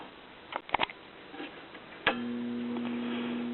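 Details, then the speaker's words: 1964 Columbia Masterwork portable single-tube record player with a 3V crystal cartridge and a four-speed Alliance changer, just plugged in: a switch click, then a steady low electrical hum with no rotation. The turntable motor is seized. "Well, I can tell already that the motor is seized. I can hear it humming, but obviously there's no rotation."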